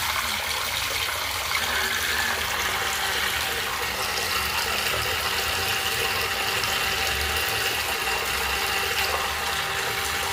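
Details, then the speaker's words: Noisy faucet on a 2000s Celite sink: running water with constant hiss and a faint steady tone singing through it while flowing. "fazendo tá muito barulho. Tá fazendo barulho."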